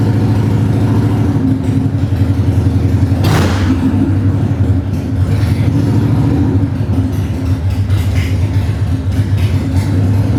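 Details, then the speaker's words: 1995 Harley-Davidson Bad Boy Evo V-twin, revived after sitting with carb issues, vacuum leaks and neglect: choked cold start, then a lumpy but regular low idle with light valvetrain clatter, holding steady without stumbling. Normal cold idle. "It sound It sounds good. Um you know, still has to be choked to start, obviously, but other than that, man, I'm really happy with where it's at right now,"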